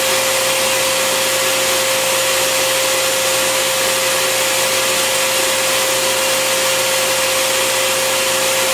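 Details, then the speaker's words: Bissell Garage Pro wet/dry vacuum in blower mode with the hose twisted in: loud, even rushing roar with a steady motor whine; runs smoothly, normal blower operation. "All right, so I twist it in, it's in, and now I'm gonna show you the blower. All I have to do now is just turn it on."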